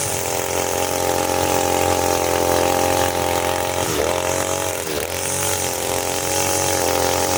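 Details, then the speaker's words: Side-mounted two-stroke brush cutter with nylon line, factory carburetor mixture screw too loose, as on new engines: steady buzz that sags and wavers in pitch when loaded cutting; rich mixture, fuel-hungry, lacking power. "Biasanya kalau mesin baru dari toko itu akan seperti ini guys ya. Mesinnya boros, tenaganya nggak ada."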